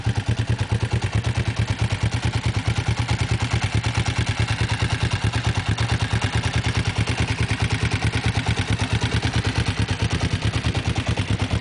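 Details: Kawasaki GPZ engine running at steady speed: fast, regular mechanical clatter riding evenly on the low engine beat from inside the engine; source undetermined.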